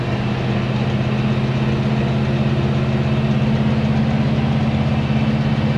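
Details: 1970 Chevy C10 with a 327 small block and HEI distributor, after the distributor was reinstalled correctly, the cap and rotor renewed and a loose fitting tightened: a steady, smooth low V8 burble with no misses or pinging; normal idle.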